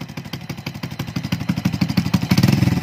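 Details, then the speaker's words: Single-cylinder motorcycle after repair of a crushed timing chain tensioner and jumped timing, restarted to check for noise: steady idle pulsing about three times a second, no chain slap or ticking; quiet and healthy. "Check natin kung maingay pa. Yan. Tahimik na yung makina."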